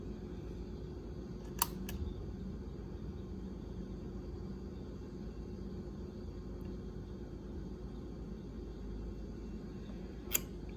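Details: Sansui G-5700 amplifier during repair of non-clicking speaker relay, powered through a dim bulb at reduced voltage: over a faint hum, two sharp clicks close together then another about eight seconds later; speaker relays engaging normally.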